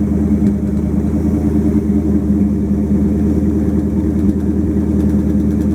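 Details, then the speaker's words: 1929 Chrysler 360 with Edelbrock AFB, after straightening bent metering rod (rich passenger side) and regapping plugs 0.020 to 0.035 in: smooth, steady idle, no skips; both banks balanced, no popping, repair successful. "But sounds much better. No popping. So I'm going to call that a success."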